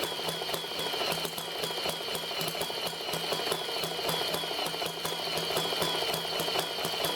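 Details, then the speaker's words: Stirlingkit ET1 Stirling engine driving brushless DC motor generator via larger 20-tooth pulley: quick even ticking about two beats per second over light whir, runs fine under load without stalling (smaller pulley had overloaded it). "But with the bigger pulley, you can hear the engine is running just fine."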